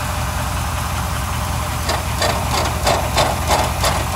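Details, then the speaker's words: Suburban idling in snow after a starter replacement: tinny metallic rattles over steady idle; owner suspects an exhaust leak or a rattling pipe-inside-a-pipe, not the transmission heat shield. Exhaust rattle, cause unconfirmed. "you know it sounds like I got an exhaust leak on this thing so I pounded on the pipe here it rattles what is rattling not the heat shield on the transmission"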